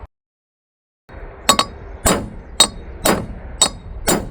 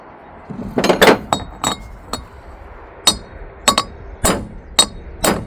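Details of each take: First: Tent trailer wheel bearing race (2000 lb axle) hammered in: metal blows about once a second turn to a dull, solid ring as the race bottoms out; race fully seated. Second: Tent trailer wheel bearing race (2000 lb axle) being hammered in: sharp ringing blows still sound hollow and tinny with a visible gap, race not yet fully seated; a solid sound comes once it bottoms.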